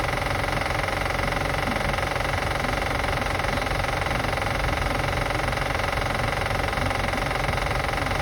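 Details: 2005 Acura TL after starting and running: steady even tick roughly three per second over the idle; clear engine tick being assessed, cause not pinned down yet.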